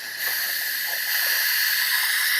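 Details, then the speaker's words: RV grey water tank being emptied into a toilet with a portable Flojet waste pump: sharp steady high hiss rising as the fitting is cracked, air rushing in to break the vacuum the pump created in the waste line. "You know, the pump has created the vacuum."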